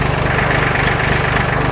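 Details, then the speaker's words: Old John Deere 820 three-cylinder diesel tractor, a family machine that has always started, just started with the key in neutral: even, steady idle chug with regular firing pulses and no knocks or misses; a healthy idle. "turn on the key oh look at that that's what we like to see"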